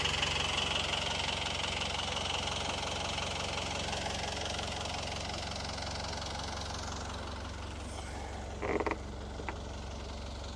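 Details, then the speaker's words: Boat diesel engine, unrun for a while with oil poured on the valves before starting, warming up cold at idle in neutral at the dock before taking load: even, regular idle that quiets slightly as it warms, with no misfire or knock. Normal idle. "It's not really good to run a diesel engine without a load on it. So I'm just letting it kind of warm up a little bit first."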